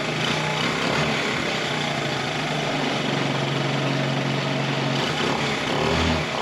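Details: 1984 Honda TRX70 quad revived after years in a barn, just started on choke, running on chainsaw gas: small single buzzes at a steady, clearly elevated speed without dropping back; idle set too high, mixture smells a little rich.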